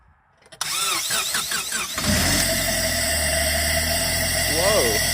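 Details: 2000 Acura EL with JDM D15B VTEC swap, a couple hundred thousand km, overheating from a busted radiator and burning oil: starter whirs unevenly, then engine catches on starting fluid and settles to a rough, steady idle; starts only on starting fluid.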